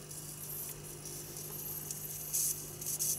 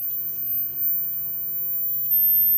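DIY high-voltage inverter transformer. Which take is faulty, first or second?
first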